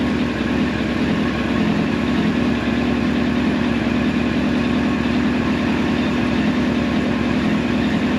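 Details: 1999 Yamaha R1 four-cylinder, engine rebuilt about 600 miles ago, warmed up, with carb sync adjustments close: smooth, even idle at a steady pitch with no misses, hunting or lope. Normal idle.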